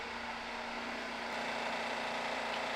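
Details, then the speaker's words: Heavily damaged Honda Accord being rebuilt, first start: steady idle with a fast, light clicking on top and no engine lights; it sounds like it's running funny, possibly a valvetrain tick, source unknown, with a burning-rubber smell afterward. "no engine lights though there are no engine lights she sounds like she's running funny"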